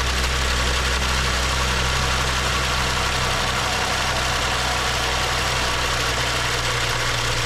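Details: BMW 535xi M Sport N55 after replacing the high-pressure fuel pump and cam follower for knock and code 165014, air filter not yet installed. Steady, even idle with a smooth low hum, no ticking or knocking. Running cleanly after repair.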